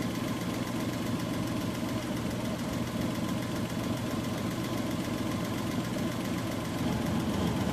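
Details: Suzuki F6A engine after repair of misfiring, backfiring and hard starting: idles with a steady, even low pulse, no misses or knocking.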